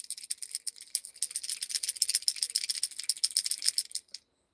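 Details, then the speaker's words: Dead unit from a 30 Degrees North 5th-scale RC truck, shaken by hand after a rough bash event: dry, high, loose rattle several times a second; not a stripped gear, owner suspects electronics have fallen off the circuit board. "It was not that it stripped a gear. It was dead. So, I wonder if like the electronics have fallen off the circuit board or something."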